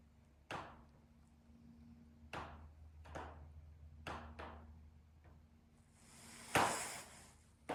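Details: Sharp, isolated pops and cracks at uneven intervals over a quiet hum from a steel sunroom/patio room in direct afternoon sun (about 3:50 pm). Riveted steel panels expand and contract in full sun; the popping happens only when the sun is directly on it.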